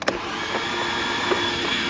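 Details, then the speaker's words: 2011 Mazda RX-8, 1.3 L naturally aspirated rotary, low compression, in with a check engine light. After clearing with throttle floored (flood-clear mode) and releasing the pedal to allow fueling, a steady even cranking whir with no firing at all: flooded, no start. "Let off the pedal. Back on the pedal. Off the pedal. It should be fueling now. And nothing. We have nothing."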